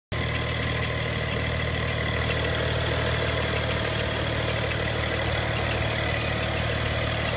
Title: Ticking noise from the engine bay bmw n55 335i